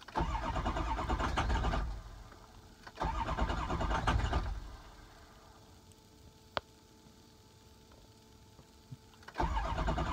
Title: 6.0 crank, no start